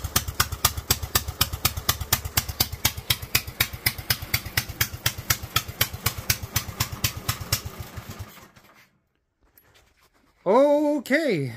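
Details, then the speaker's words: Kohler single-cylinder engine with a Honda GX390-type carburetor on a 3D-printed intake, meth-level jet kit, revved toward 2000+ rpm: an uneven, lazy thumping that fades and dies, with pitch-black smoke; running far too rich. "that pitch black smoke tells me that she is running way too rich so meth level kit was too much"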